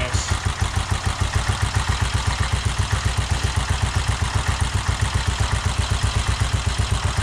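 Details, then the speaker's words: 1969 BSA Starfire single, first run after over 15 years, new carburetor cable, idle mixture screw 1.5 turns out, about 5100 miles: crisp even thump about four beats a second, no misses or knocks; running healthy, started easily. "um I don't know if you can hear everything I was saying over the engine uh it's very possible that that 5100 miles on the speedometer could very well be accurate um the engine sounds really good for it to fire up that easily"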